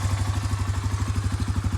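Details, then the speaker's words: Suzuki Eiger 400 ATV after a new carburetor and a new spark plug: a quick, even single-cylinder thump holds a steady rhythm with no misses or surging. Normal idle. "that's it running hear that here that everything is running okay it runs like the top"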